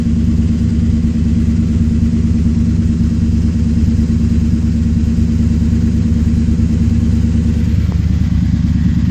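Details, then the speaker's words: Ford F-150 cold start after sitting, with a new battery, fresh fluids and a new power steering pump, dual exhaust through a 14-inch oval muffler: deep, steady burble at even idle, no knocks or misses. "Let's fire this thing up. You guys can hear what the exhaust sounds like, too. [Music] Man, I missed that sound."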